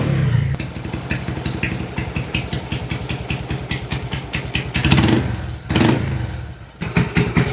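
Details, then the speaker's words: Kawasaki Binter Merzy carbureted single after fitting a pilot jet two sizes smaller: starts, a few throttle blips, idle still high but settles fairly fast to a steady even idle instead of lingering; exhaust smoke not too thick. "RPM-nya masih tinggi ya, tapi untuk mencapai titik ideal stabilnya itu dia tidak membutuhkan waktu yang lama seperti yang di awal tadi."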